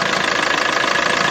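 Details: Maruti Suzuki S-Cross diesel, about 100,000 km, complaints of black smoke and low pickup, timing chain due and fuel filter leaking: steady idle clatter with a faint thin rubbing tone up top from the alternator auto-tensioner at the front.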